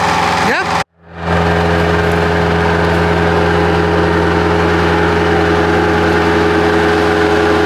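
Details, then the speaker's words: Bobcat 763 skid steer diesel, idle a year with suspected water and rust in the fuel system, after fuel filter removal, fresh fuel and additives: steady even clatter and low hum; now idling smooth, normal. "y we get it while it's idling smooth I'm going to try to get it moved into a better location and let it sit there and run for a little bit make sure it's not overheating or anything"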